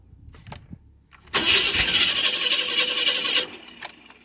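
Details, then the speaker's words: Engine cranking over in a junkyard Chevrolet S10 with one plug wire off and fuel still present; even starter cranking about four beats a second for two seconds, compression sounds good. Engine covered in oil, front seal looks gone. "like that's insane i can't believe that it actually uh cranks over i mean the compression sounds good"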